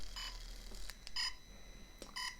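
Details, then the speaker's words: Hohem iSteady X gimbal carrying a GoPro vibrates: short high buzzy bursts about once a second as the motors oscillate, the light camera under-loading them; a motor-sensitivity firmware update is awaited. "I've been using my GoPro and my Osmo Mobile 2 together for a long time now, and it works perfectly. And when I first got the Hohem iSteady X, I thought this would work perfectly too, but as you just saw, it started vibrating."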